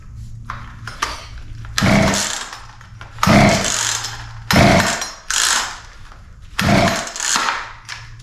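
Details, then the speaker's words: Poulan P3314 33cc chainsaw, chain off the bar, second start test after more carb cleaner (plug found dry); five or six pull-cord bursts, never catching: cranking no-start; owner suspects wrong spark timing or low compression, though compression feels adequate. "happens all right so still no start which means that um we may yeah could have uh spark at the wrong time or uh I don't know maybe we don't have enough compression"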